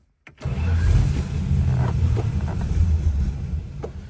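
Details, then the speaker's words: 1962 Dodge Lancer with an aluminum 225 slant six, a barn find that sat in storage, started with the key after the battery terminals were cleaned: catches readily, then a lumpy but steady low cold-blooded rumble. Normal cold start. "still cold blooded it is a slant six they kind of all are much happier now"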